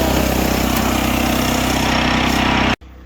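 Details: Portable generator with dead battery, choke-started, connected through new interlock and inlet box with 30 amp wire: steady buzzing single-cylinder drone, even, cut off sharply near the end; runs smooth and healthy.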